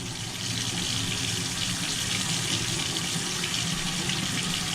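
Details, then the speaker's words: Newly replaced electric water heater tank filled, hot water valves open, air purged: steady, even hiss of water from the open valve, no sputtering or air bursts; system full. "Once all the air's out of the system, okay, we've got water flowing out of this valve."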